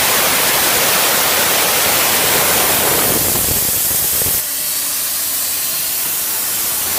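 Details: 6.0 Ford Powerstroke, engine off, shop air on the high-pressure oil system with the pump exposed: a steady loud hiss of air escaping at the snap-to-connect (STC) fitting, not at the dummy plugs, which are due to be updated from 10 mm to 12 mm.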